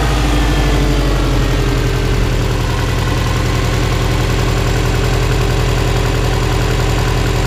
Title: Subaru Impreza WRX 2002 (US) Piston Slap cold engine 1